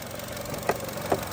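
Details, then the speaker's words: 2018 Chevrolet Trax petrol engine at idle with codes P0443 EVAP and mass airflow: a fast, light rattling tick with sharper clicks from a faulty purge valve. Pinching its hose stops the noise, and the fuel filler gurgled; the fix is a valve replacement. "It was just rattling, just brrrr."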